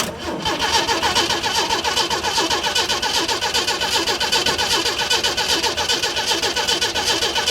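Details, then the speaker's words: 1937 Chevy 250 six-cylinder, unrun for unknown years, cranked with distributor and coil disconnected to check oil pressure (oil line crimped, no gauge): even, steady starter cranking with regular compression pulses, no firing. Oil pressure then came up, with clean oil. "I just want to open it up a little bit when I crank on it just to just make sure it's got oil pressure I don't have the distributor or the coil hooked up yet so I want to see what this does"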